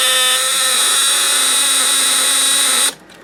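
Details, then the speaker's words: ELENCO Snap Circuits relay buzzing as its contacts rapidly open and close, expanding and collapsing the transformer's field; LEDs and two lamps light, speaker only connected while the press switch is held. Steady, high, raspy buzz for about three seconds, then cuts off; relay chatter. "So as you saw that time, we had our LEDs and our 2 lamps light up again as the relay was opening and closing its contacts, expanding and collapsing our field in the transformer there, but we didn't have the speaker as part of the circuit."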